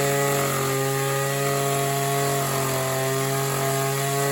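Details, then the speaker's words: Oleo Mac BC240 strimmer, assumed 24cc two-stroke, warmed up after spark plug clean: steady high two-stroke drone that never reaches full revs; owner suspects a partly blocked in-tank fuel filter. "it definitely feels like the fuel filter in the tank is probably a bit blocked up"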